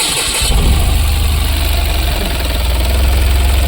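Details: Tata BS6 petrol engine with all fuses refitted: cranks briefly, catches cleanly, then settles into a steady, even low thrum with no misses; starts and idles normally.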